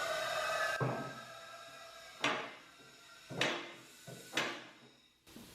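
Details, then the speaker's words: Handy Industries Standard 1200 air-operated motorcycle lift rising with sharp clicks roughly every second, each one the safety lock engaging the next notch under the table; normal safety lock ratchet clicking. "clicking sound that you hear that is a locking mechanism right here so there's notches underneath the table each time it clicks it engages into another catch"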